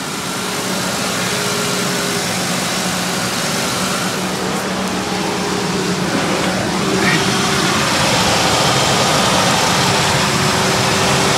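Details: Ford Explorer idling after a water pump replacement with the coolant system building pressure. An even, steady idle hum with a faint hiss; it purrs smoothly, though the owner notes an exhaust leak now rattling: normal idle.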